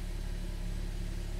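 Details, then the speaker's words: 2013 BMW 3 Series F30 N55, run after a part replacement with no fault codes stored; it feels like a misfire and runs terribly. Deep idle rumble wavers unevenly; rough idle from a vacuum leak letting in unmetered air. "tiene un poco de un fallo de encendido vamos ver lo que no tenemos código de falla es hmm detectado se sintió como una carrera de bruto corriendo"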